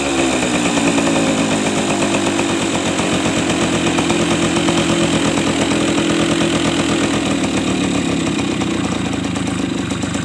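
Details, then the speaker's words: Suzuki RC two-stroke, started without the ignition key because the key switch is not yet wired, after weak-spark diagnosis on an imitation stator: steady buzzy ring-ding idle at an even pace, no stumbles or cutting out; running fine. "oke Ya teman-teman ini sudah nyala kita tinggal rakit kontaknya ya karena kontak ini belum tersambung"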